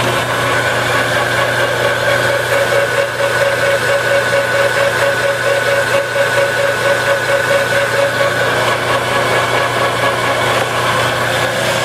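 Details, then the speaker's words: Used Enco 9" x 20" bench lathe that is missing a drive belt and has a gear that keeps falling off. A constant motor hum with a thin, steady drive whine, unchanging throughout; the lathe runs normally. "Turn it on. It does operate."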